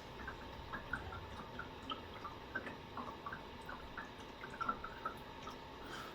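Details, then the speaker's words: 1 m electric fireplace-humidifier: irregular bubbling plops and drips over a faint steady hum as the evaporator gurgles boiling off water, a noted drawback of this unit. "кстати что минус этого камина в том что он достаточно сильно бочкой и сейчас вы слышите как булькает камин клей испарения воды"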